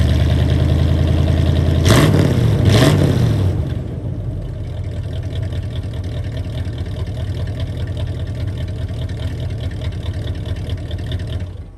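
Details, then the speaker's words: V8 just restarted after oil pump reinstallation: blips up then settles to a smooth, even idle; lifters have pumped up and are quiet, no ticking, indicating oil pressure though the oil light is still on. "i know i've got oil pressure because the lifters are not making the noise like they were when i crank it the first time so the lifters have pumped up they're nice and quiet now"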